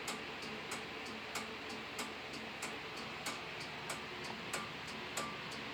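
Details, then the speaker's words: Simplex 2001 fire alarm panel (4250-120) with march time card, working after two resistors on the signal card were cut: crisp relay clicks pulse steadily, one to two a second, faint hum behind, as the strobe fires; normal march-time signal pulsing. "You'll hear the relays go. And the strobe goes."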